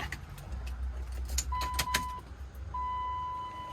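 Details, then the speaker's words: 2000 Dodge Ram 2500 24-valve Cummins with newly installed adjustable Airdog Raptor lift pump, key on, injectors 1, 3, 4 cracked to bleed; steady electric whine at key-on, gauge shows no pressure yet; lift pump running normally. "okay pump came on don't see any fuel pressure though the pump is running"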